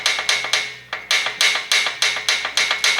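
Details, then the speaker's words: Shovelhead with a loud top-end noise, engine off: a screwdriver in the rocker arm's hole rocks it back and forth, giving sharp metallic clacks about three or four a second; excessive rocker arm play on its shaft. "so all you do you just put your screwdriver in the hole and then you knock back and forth so that is the noise you're hearing with the loud top"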